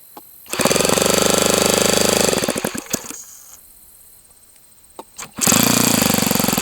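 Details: O.S. FS-91S II four-stroke glow engine on its first run, valve lash checked by feel, healthy prime, throttle about a quarter open with no stop screw: sharp fast popping catches, runs steadily a few seconds, dies, fires again; starts and runs normally.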